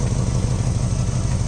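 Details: Mazda Miata idling: low idle with uneven, lumpy beat and hint of clatter; rough running, suspected wiring, cause unconfirmed.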